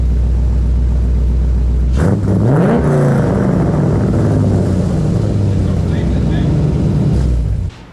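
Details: BMW E46 with LS6 V8 swap, first startup after reinstall: V8 fires and settles into a deep, steady idle with a strong even burble, no knocks or misses; sounds healthy.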